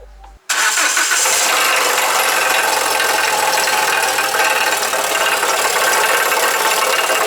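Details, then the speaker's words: Alfa Romeo GT 2.0 JTS, started in pit: loose, uneven metallic rattle over idle, uncharacteristic, no metal shavings in oil, seemed inside engine. "Стук вообще не характерный, не похож ни на колено, ни на, ну, непонятно на что."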